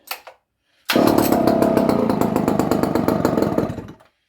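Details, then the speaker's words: Barn-find Dolmar 118 Super two-stroke chainsaw, circa 1970, stored in a barn for years, quick cold start: rough, uneven lumpy idle with wavering loudness; choke not helping; owner thinks carburetion is a little off in idle mode. "Idling is some rough, but I try to pull it again."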